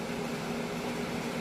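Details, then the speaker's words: BougeRV portable AC on its highest "rocket" setting, powered by a Jackery Explorer 1000 V2 through an intermediate device, drawing about 400–450 W. Compressor and fan hum evenly with no cycling; normal full-power operation. "Let's put it on the rocket, which is the highest setting that it uses, and you can see the output is 400 and"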